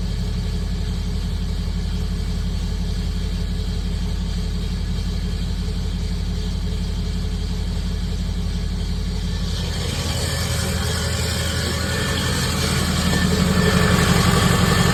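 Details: 2006 Ford 6.0 Powerstroke diesel V8, just after replacing the HPOP, idling with a loud rough metallic grinding rattle that grows harsher; owner inspected through bottom transmission housing access port and found a starter pin issue.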